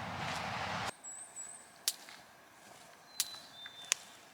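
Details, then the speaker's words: Solar electric fence charger set to northern region, fence wire arcing to ground at a post where a wire wrap was left on the back side: sharp dry snaps about once a second outdoors. "See it arcing there? Arcing the ground. That wire, I got that wrap back on the back side of that."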